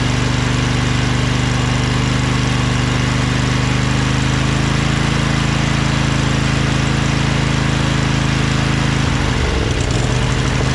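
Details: Craftsman LT2000 lawn tractor repowered with a Briggs 20HP Intek V-twin, owner suspects a blown gasket on the right cylinder. After about 10 minutes running: smooth, steady drone, brief note change near the end, no misses or knocks, no smoke. Normal running.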